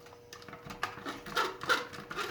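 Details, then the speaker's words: Marx Santa Fe diesel toy train locomotive, unused for years, mechanism turned slowly by hand with contactor dead; scratchy, uneven clicks and rasps from dry, unlubricated gears. "hear how dry this is. This hasn't moved in years. Years and years and years."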